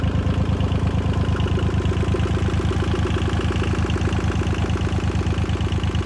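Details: 1977 Yanmar YM2500 diesel tractor after fuel filter replacement: small diesel knocking about three even beats a second, no misses or stumbles; normal smooth idle, sounds healthy.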